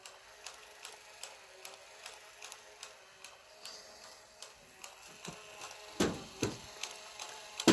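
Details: 1967 Chevelle windshield washer switched on: steady dry clicks about two and a half a second from the washer pump ratcheting, with no fluid sprayed. The wiper runs.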